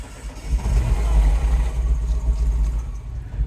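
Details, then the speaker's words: 2009 Mini Cooper R56 John Cooper Works, N14 engine, started with clutch in after charging the weak battery: catches with a deep, uneven surging rumble, runs rough on its own and stalls. A VANOS solenoid issue is suspected. "Yeah, this is what's happening. It's conking out. Running rough. Running rough."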